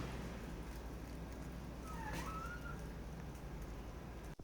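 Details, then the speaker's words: Gate squeaks with a short rising-and-falling squeal each time it is closed, over a low rumble; dry hinge bearing, fixed by spraying lubricant into the bearing. "现在每次关门的时候都会出现这种吱吱的这种响"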